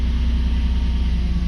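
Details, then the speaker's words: Mercedes W140 that died and refused to start, mirror lights flashing, after swapping in a replacement control module: low, steady, even idle rumble with no misses or knocks; engine now starts and runs normally. "Да мотор запускается при этом тоже лампочки моргают"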